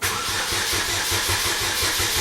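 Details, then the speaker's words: 2007 Chevy Cobalt 2.2L Ecotec that would not start after a serpentine belt replacement: steady cranking at about four pulses a second, never catching, with the security light on. Crank, no start, traced to a corrupted fuel trim setting that was reset with a diagnostic tool. "I am getting actually some acting like it wants to start which it's never been doing here lately"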